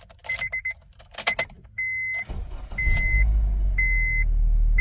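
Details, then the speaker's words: 2007 Honda Civic with cylinder 2 misfire (P0302), after a fix: chimes, quick crank and catch into steady even idle; earlier boom-boom misfire thumping gone, runs smooth. "I don't have that b boom I don't have that bom boom bom bom and it seemed to be a much smoother start oh okay wonderful seems to be much smoother now"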